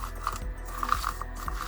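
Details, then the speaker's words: Ford Fiesta Ghia Mk6 chasing a mystery rattle; the rusty strut top mount is turned by hand. Gritty, notchy rasping from its bearing: worn and rough, to be replaced. Suspected but unconfirmed as the rattle's cause. "bearings inside don't sound very healthy, so I think I'm going to change that anyway, and if that is our cause, then that will be absolutely great."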